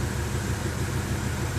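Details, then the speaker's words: BMW M5, after swapping all spark plugs and several coil packs, fault codes for cylinders one and two with reduced power: runs fine at idle, but after a slight rev and release the low idle beat stumbles with uneven thumps; major misfire. "the weird thing that's happening now is if you rev the engine just a bit you can hear it starting to misfire when you let it go major misfire"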